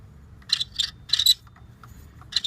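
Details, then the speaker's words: LS1 Camaro (1998–02) alternator turned by hand with belt removed: short high-pitched squealing chirps in uneven bursts; most likely the alternator bearing, alternator to be replaced. "and more than likely that is the bearing so so here's the deal I'm going to replace the alternator"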